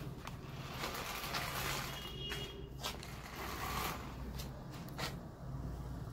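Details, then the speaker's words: Mini remote-control car (two batteries) after repair, reassembled and driven on the floor by remote; before repair it ran on its own without the remote. Low, steady motor hum with light scraping. Runs evenly, normal operation. "अब हम इसको remote से चलाएंगे यह देखिए guys देखिए यह हमारा देखिए वर्क कर रहा है"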